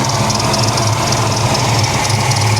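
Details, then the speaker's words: 1994 SN95 Mustang GT, supercharged 347 stroker, once submerged in salt water: steady, busy idle with a faint repeating squeak near the belts; source unclear. "I do hear a squeak, squeak, squeak, squeak coming from something up here. Wonder what that's coming from."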